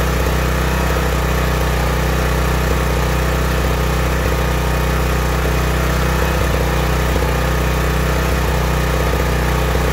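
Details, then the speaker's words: Small generator engine running lean, too little fuel for the air, with a throaty, raspy, hoarse edge over its steady drone; filmed in a garage with open doors. "if I had to explain what a lien sounding engine would be it would be more of a sound coming from your throat with the horse noise mixed in so it'd be mmm"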